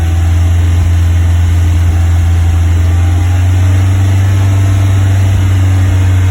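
Loud deep drone held at steady revs, with a slightly uneven pulse underneath that fits a misfire at this speed.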